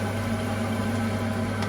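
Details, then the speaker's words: Gas boiler with no heating or hot water, thermostat at maximum: pump spinning and fan heard running as a steady low hum with faint whirr, but no spark, ignition tick or burner roar; flame electrode senses no flame. "so pump spinning I can feel that there's the fan you can hear the fan you can see it spin however there is no spark"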